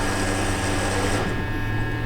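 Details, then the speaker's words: 2020 Toyota Tundra 5.7, under 50K miles, that stalls and won't restart when hot: fuel pump running evenly with a steady low electric hum and fine buzz, though it cuts out and kicks back on intermittently; battery maintainer connected; pump control module suspected. "there it goes see so you'll watch it it'll I'll let this pump run for a little bit I got a battery maintainer on it as well which might be kind of burning us a little bit but there it goes there it goes kick itself back on"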